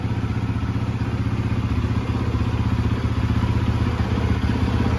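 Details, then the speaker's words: Rebuilt 2013 Yamaha YZ450F with a replacement head, idling to work everything in. Steady, even single-cylinder idle with a firm regular thump and no ticks or rattles: running really good. "She's running really good. I've actually put it through 4 heat cycles already. Sounds really good though."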